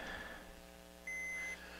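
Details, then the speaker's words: Mission 775 turntable tonearm wiring, continuity test from cartridge to back panel on the white wire: single steady high meter beep about half a second over quiet room hum; white wire possibly shows continuity. "okay let's check for continuity here this one's the white wire wait nothing oh maybe we do have something on white"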